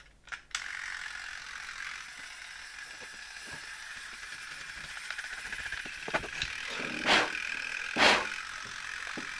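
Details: 1972 Zelmer SC hand dryer, unmarked timer switch module removed for inspection, spring-wound automatic timer (about 2 minutes): fast, even ratcheting buzz as the wound spring unwinds. Normal clockwork timer run-down.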